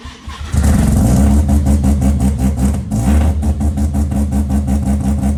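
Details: Mazda RX8 on Microtech ECU, poorly tuned: engine catches after cranking, then surges and stumbles in uneven pulses, failing to settle; hard starting.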